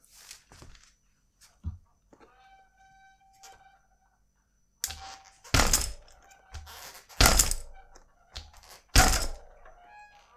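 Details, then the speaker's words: Bicycle chain at the rear with no chain tensioner fitted yet, heard before installing an aluminium c.guide chain tensioner/guide: irregular loud slaps and clunks in uneven bursts as the bike is jolted; loose chain slap. "jetzt hören wir uns erstmal einen wie sich die kette hinten anhört ohne den ketten spanner"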